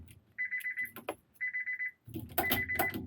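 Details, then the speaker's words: 1996 JDM Honda CR-V RD1 AWD with K24 swap, automatic chassis, park inhibitor switch jumped, ignition key lock still engaged: repeating bursts of about six quick high beeps; car does not read as being in park. "this terminal back on anything smoking on fire yet no and the ignition lock's still on so it obviously thinks it's it's not in park"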